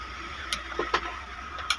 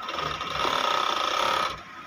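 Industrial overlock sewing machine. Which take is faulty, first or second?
first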